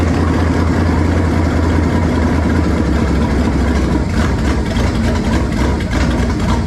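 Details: Warm V8 after swapping to a 2-barrel carburetor, vacuum port patched and taped, choke nearly open: deep steady idle rumble with a slightly uneven lope. Runs smoothly enough but mixture still seems off, cause unconfirmed; slight smoke noted.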